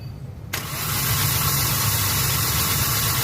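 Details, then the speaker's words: Hyundai Accent petrol engine starting to a rough, lumpy idle with strong vibration, no power and flashing check engine light; codes P0300, P0301, P0302: cylinders 1 and 2 misfiring from no spark, suspected faulty ignition coil. "Check engine. Nagbi-blink. Walang power ng makina. Tapos ah engine vibration ang lakas."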